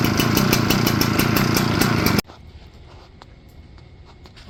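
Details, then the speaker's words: Echo PB8010T backpack blower with ethanol-damaged original carburetor: ragged, uneven two-stroke buzz for about two seconds, then abrupt cut-out; bogs and runs rough once warm, won't restart hot; clogged fuel filter already replaced. "running until it gets warm then it starts bogging bad see how rough and running"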